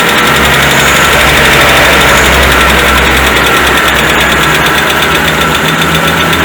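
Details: 2010 Citroën C3, 16-valve automatic, hot idle: a steady knock about four times a second. Oil pressure is low at 2,000 and 4,000 rpm, pointing to a failing oil pump.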